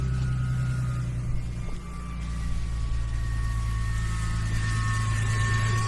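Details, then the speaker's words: After fitting the fuel pump, hammering the lock ring tight and securing the fuel hose with a zip tie, the car runs: steady, even low idle with a faint pump whine, no stumbles or misses; normal idle. "Put a fuel hose back in. I didn't have a dribbly clamp, so I put a zip tie on it. It's going to do the job and put everything back together. Fuel pump is in. The car runs."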